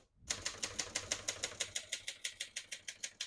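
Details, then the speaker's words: 1972 Hermes 3000 portable typewriter, serviced, typing on single line spacing: crisp, even key strikes at about three per second, none skipping or sticking. Normal typing action. "As you can see, all the keys type nice and none of them skip or stick."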